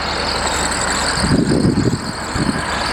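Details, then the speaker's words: Range Rover with fully rebuilt engine, ancillaries not replaced, running: thin high squeak or whistle over the motor, also heard while driving; owner suspects the belt tensioners or pulleys. "it's a squeaking noise so hopefully we'll get that replaced"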